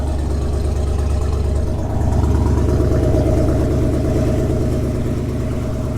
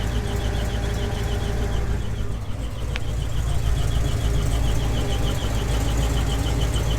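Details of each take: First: GMC 2500 Vortec V8 at cold idle: steady even low rumble with no squeal or knock; when warm it squeaks like an alternator belt, though the belts are not the cause. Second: GMC 2500 Vortec V8 at idle just after first cold start of the day: quick high bird-like chirp three or four a second, not the belts; oil pressure low (just past a quarter) after earlier oil-pressure loss, owner suspects oil pump plunger.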